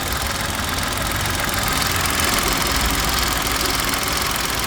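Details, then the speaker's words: Old car idling, bonnet open: harsh gritty rattle over a rough idle coming and going with revs; it got much worse on the drive in; owner suspected the chain, now fears a breaking-up bearing; not investigated, unconfirmed. "that noise that i was telling you about the other day will on the way in this morning it got considerably bad sounded like there was a dead dying screw will underneath the bonnet"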